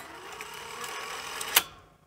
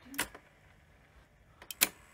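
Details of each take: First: Sony SL-C7 Betamax VCR after repair of a squeaking motor: soft even motor whir during eject ending in a sharp mechanism click, with no squeal; normal motor running. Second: New-old-stock Sony SL-C7 Betamax VCR with no-audio fault: playback relay with whitened, poor contacts now moving where it wasn't before, sharp irregular popping and clicking about twice a second; relay replaced afterward, fixing the fault.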